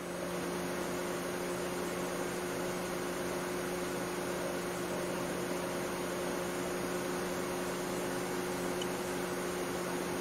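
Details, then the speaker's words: 2008 Mercedes W204 C180 Kompressor whose cooling fan ran constantly and loud after start with fault code B10 7A15; after the refrigerant pressure sensor reading changed, steady even fan rush without surging, fan no longer running like crazy, normal speed. "so i think this was uh successful because the fan is no longer running like crazy as you can probably hear already"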